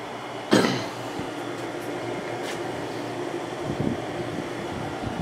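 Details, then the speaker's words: Windmill 6,000 BTU window air conditioner just started in window, cool mode set to 60, low fan in a very hot room; soft even airflow hum, no rattle, knock or whine; quiet, normal operation. "But yeah, it seems pretty quiet."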